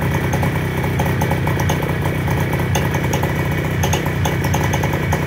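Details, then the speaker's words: Fresh Breeze paramotor, 312 cc two-stroke with 4-blade propeller, idling on a small shot glass of fuel: quiet, even idle with low propeller drone, no misses or knocks; normal clean idle. "And the Fresh Breezes are pretty quiet. And even at idle, you can hear me talking, I'm sure."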